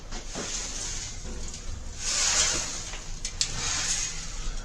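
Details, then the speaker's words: 1967 Cadillac hearse fuel tank, removed and found loose in the car, shaken by hand: gritty swishing rattle surges with each shake as rust scale and granules slide around inside the rusted, filthy tank, which needs treating before reuse. "that thing is rusted on the inside. It is uh filthy. There's granules of something in there."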